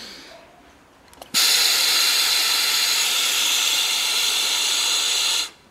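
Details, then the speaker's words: Yamaha XV 250 Virago vacuum fuel tap bench test: air blown into the fuel inlet while a vacuum gun applies nearly 300 mmHg; a sharp steady hiss holds about four seconds; tap opens and flows properly, then closes 100% when vacuum is released. "e agora o que vou fazer vai ser a soprar que na entrada e vou apertar aqui vocês vão ver o indicador aqui dodô manômetro da quase 300 milímetros de mercúrio coisa parecida e aí vai abrir ó"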